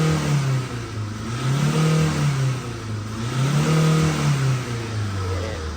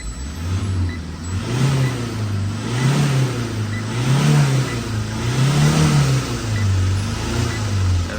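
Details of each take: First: Tata diesel 2.2 (140) engine revving up and down smoothly in repeated blips without shaking, after fuel was bled through. Earlier it shook when revved. Check engine light traced to the turbo not working; the car now pulls past 4,000 rpm. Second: Tata 2.2 140 diesel, reported poor power, check-engine and battery lights, alternator not charging: revved repeatedly, revs surge unevenly and engine shakes from air in fuel system; after bleeding fuel, revs smoothly past 4,000 rpm.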